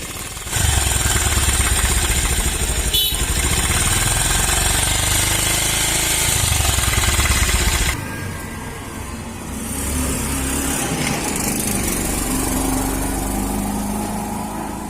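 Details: Bajaj Pulsar single-cylinder engine: light, fast, uneven metallic top-end rattle over the engine beat, changing with revs; timing chain noise suspected, not confirmed.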